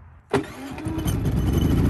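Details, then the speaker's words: New Predator 3500 W inverter generator, first start, possibly slightly warm from sitting outside: quick crank, catches at once and settles into a smooth, steady, slowly rising quiet hum; output light on immediately, a clean healthy start. "there goes started right up green output light immediately came on it's pretty quiet"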